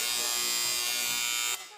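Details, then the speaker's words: Wahl hair clipper giving a harsh, high, rattly buzz then cutting off: blade out of alignment, fixed by turning the adjustment knob until the blade is aligned and the noise stops. "máquina hace un ruido así tiene este botón de Aquí vamos a ajustarlo a que la cuchilla quede más alineada de este lado"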